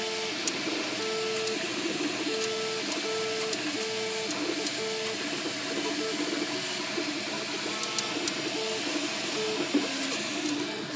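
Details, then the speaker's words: MakerBot Replicator 2 running, mic close to the side opposite the motors: steady motor tones with scattered sharp ticks and a faint squeak from that side; clicking and squeaking noise, source not yet pinned down. "It seems to be coming from this side, the opposite side of the motors, which are over here. Here I'm getting a little squeak there"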